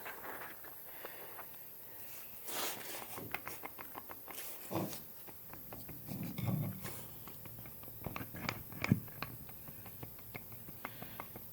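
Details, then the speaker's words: 2009 Volvo S60 FWD right-side axle half-shaft, removed and worked by hand: irregular dry clicks as the inner plunge joint moves in and out, causing a lurch going into gear; worn inner CV joint, shaft replaced. "I turn it you can hear that clicking see how that moves in and out of that plunge joint but you shouldn't hear that clicking it's not horrible but I want to get that replaced"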